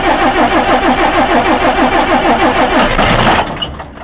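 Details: 1955 Mercedes L6600/LS315 truck, OM315 diesel, first start in the evening after 25+ years outside, following repair of a sheared injector-pump camshaft and drive shaft broken by an incorrect lift pump: even, steady chug about three beats a second with clean knocks, then winds down; healthy.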